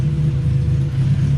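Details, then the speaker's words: Right-hand-drive turbo Honda Civic just after a cold start: a low, uneven, wavering idle rumble. It runs rough when cold and smooths out and picks up as it warms. "but she's just kind of real rough idle right now."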